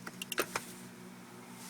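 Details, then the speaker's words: 2005 Corvette C6 automatic that wouldn't leave park: light crisp clicks of shift lock solenoid releasing in accessory mode and engaging at key off, faint cabin hum; normal shift interlock solenoid operation. "you hear the little click now we can move the shifter with no brake being pushed there you go little click again hit off solenoid engaged can't move the shifter"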